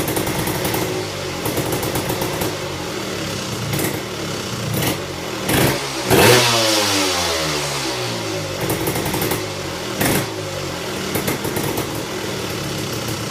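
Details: Tecate KXT250 two-stroke, start with new fuel petcock, almost cold (last run half an hour earlier): crackly idle rising into a quick rev and dropping back, uneven at low speed; runs, idle wants adjusting.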